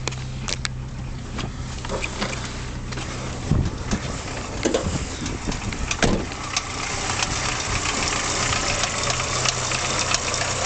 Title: Engine knock from Mk2 Golf 1.3 Carb